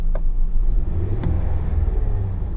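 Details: 2005 Ford F-150 4.2 V6 with oil pressure and temperature normal: deep even rumble that swells smoothly with a throttle blip and settles back without knock or tick; engine sounds healthy.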